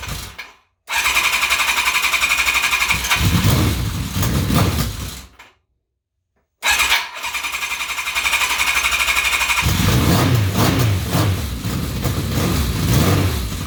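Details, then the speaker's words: Kawasaki KZ1000P motorcycle after starter rebuild, following a Dyna pulsar ignition install: two bursts of quick, even cranking at about four turns a second, smooth whirring with no grinding; the starter spins the engine cleanly. "But we're going to go ahead and give it a start so you can hear it, and we'll see how it goes."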